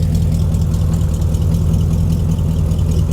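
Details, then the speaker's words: 1992 Ford Ranger with a 5.0L 302 V8, heard at the rear where the exhaust dumps right by the axle: a deep, even, lumpy burble at a steady idle with no knocks or misses; it runs and sounds good. "I think it sounds good I do I think it sounds good I like this truck"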